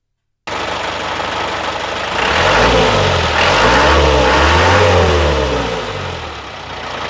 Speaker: لان صوته الاصلي مش هذاك، صوته الاصلي نسمعكم منه شويه باش تعرفوه.